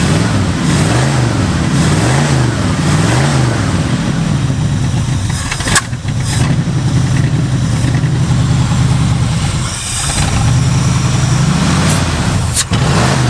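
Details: 1967 Mustang barn find V8, unmoved over 30 years, being carburettor-tuned with both idle screws fully closed yet still idling: low, lumpy idle that wavers and sags; running rich because the bad power valve diaphragm leaks fuel from the bowl into the engine.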